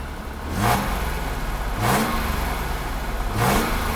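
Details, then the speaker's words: 1982 Mercedes-Benz W126 280SEL after fuel distributor repair and fuel pump replacement: three quick revs about 1.4 s apart with a buzzy vibration on each; broken exhaust pipe resonating against the car body, needs repair. "exhaust pipe is broken. And it makes noise while the engine is running. You can hear a vibrating sound. That's because of the exhaust pipe. It's resonating with the car body."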